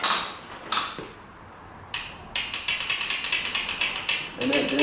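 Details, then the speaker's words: 2006 Honda TRX300EX ATV, first start after carb cleaning: harsh, uneven ratcheting grind at about three bursts a second while cranking instead of a smooth spin. The starter motor is failing and needs replacing. "starter i'm going to have to be putting the starter in it pretty soon"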